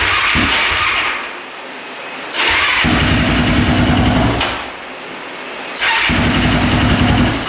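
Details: Honda ATV on jumper battery, choke pulled out, very hard starting: fires and revs roughly, surging up and down about every two seconds and never settling to idle; points to tight valve clearance.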